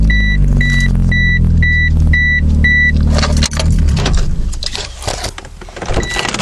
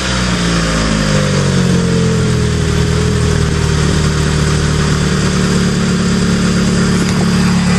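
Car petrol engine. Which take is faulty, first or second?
first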